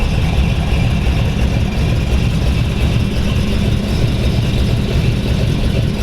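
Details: 1932 Ford Hi-Boy roadster, S.C.O.T.-blown 265 CID flathead V8 (60 over bore, '49 Merc rods, S.C.O.T. 404 cam), run once more; deep, lumpy rumble steady at idle, picks up cleanly on light revs, no knocks or misses; normal idle and revving.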